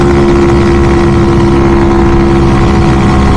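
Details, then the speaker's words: Grom clone engine swapped into SSR 110, first test ride up and down the street: steady, even single-cylinder drone under light load, no knocks or rattles; engine sounds healthy. "It sounds like the engine is fairly healthy, from what I can tell, just riding it right here and up and down my street a little bit, and it feels and sounds like it's pretty happy."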